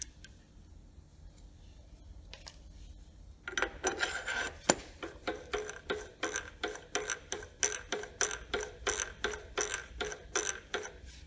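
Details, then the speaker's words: Servo 140 power feed on Bridgeport mill knee after adjusting bevel gear shims (after grinding with earlier shim setup): light even rasping pulses about three per second, no grinding; gear mesh properly set. "i don't hear anything that's just the here's working"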